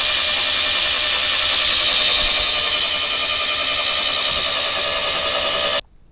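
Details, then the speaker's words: Old scrap Toyota 18R engine for a HiLux, sump filled with petrol-diesel mix, starter bolted on, cranked to flush the oil galleries: steady high-pitched starter whir with faint beat about three a second; normal cranking. "And we'll just crank it and let it prime. And see if we can get some of the oil to the, well, not oil, petrol-y diesel, to the top."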